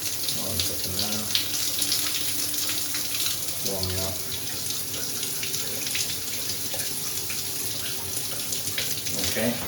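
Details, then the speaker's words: Grohe shower thermostatic mixer after valve replacement, which was needed because the temperature stayed fully hot or cold: steady, unbroken hiss of water with no dripping or spitting. There is no leak from the new valve. "there's just the other bits and pieces filling with water again 10 o'clock okay there's no leak from the valve itself"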